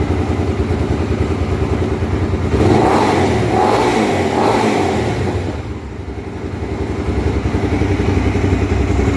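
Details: Honda Twister 250, first start after repair of a top-end noise (cylinder head off, threads cut for two bolts): idles evenly, then blipped up and back down twice; clean, steady running with no ticking from the top end.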